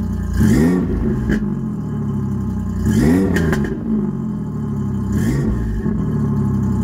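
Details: Ford Ranger 3.0 V6 cold start before a header install; exhaust is 3-inch to 2.5-inch, three-chamber Flowmaster and 3-inch dump over the axle, no cats, O2 sensors zip-tied to the frame: fires, a few slow surges, then a deep steady idle with no knocks. Normal.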